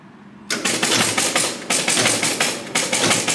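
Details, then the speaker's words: Williams Wild Card pinball machine pulled from storage, dirty contacts, first start-up: clattering relay and reel bursts about once a second cycling on and on; long reset likely from a stuck score digit reel, suspected not confirmed. "Oh, that one's having some trouble. And it'll eject it. It was running really long before starting before, but I didn't see that digit was stuck."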